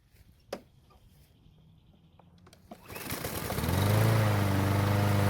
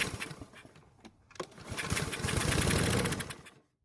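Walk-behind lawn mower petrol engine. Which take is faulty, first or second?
second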